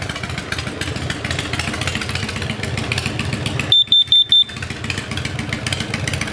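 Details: Kidde KN-COPP-B-LPM carbon monoxide alarm held behind an idling motorcycle exhaust: four sharp, high beeps in quick succession as it trips on exhaust gas.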